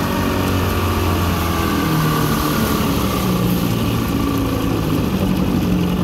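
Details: 1984 Evinrude 6 hp two-stroke outboard at steady speed on a lake test, after washed-out crankshaft splines were repaired with a hex-socket drive: an even, buzzy drone with no misses or rattles. Pulling cleanly, up to 14 mph.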